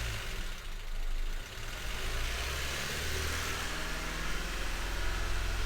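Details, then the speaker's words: 2016 Honda Civic 1.5 petrol at idle, flashing engine light, code P0303: lumpy, uneven pulse with occasional dips after clearing codes; cylinder 3 still misfiring, later traced to its injector. "We're all good, right, Roddy? We're still clearly misfiring."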